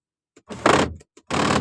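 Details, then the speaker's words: 2006 Mitsubishi Outlander 2.4 GLS sunroof, open/tilt button pressed; two short strained whirs of about half a second with no travel, sunroof motor straining against a stuck panel that only opens when pushed up by hand. "So if I press here, do you hear that sound? It doesn't wanna open, it's stuck."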